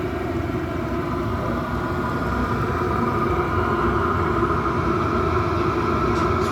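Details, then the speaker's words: Chinese diesel air heater running normally, warmed up and roasting hot after restart following four to five months unused; steady, even hum and airflow with no knocks, surging or misfiring. "all the best yes that's roasted now that is"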